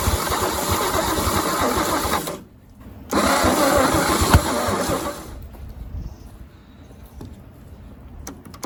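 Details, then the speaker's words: 1950 Chevy 3100 six-cylinder barn find, with starting fluid and the wrong distributor cap: long steady cranking at about three beats a second with no catch. It nearly fired, but the owner suspects the starter was cooked because it stopped engaging. "We might have just cooked the starter because I can't get it to engage at all. She pert near just about fired."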